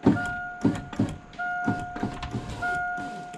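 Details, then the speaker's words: 1987 Saleen Foxbody power window after replacing window bushings and cleaning the regulator rod: smooth, steady motor hum in runs of about a second, soft thump as the glass stops each way; works fine and faster. "Nice. I will tell you, it's a lot faster by cleaning that rod too."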